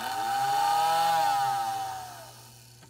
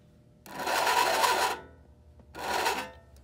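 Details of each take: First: American Flyer whistling billboard after disassembly and repair, powered by transformer: clear steady whistle held over a second then winding down, faint rattle from vibrating on the table; working properly. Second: American Flyer whistling billboard powered from a transformer before repair: two short, breathy whistle bursts that never build to a clear tone, like a sluggish motor struggling to spin up, likened to a car with a low battery starting.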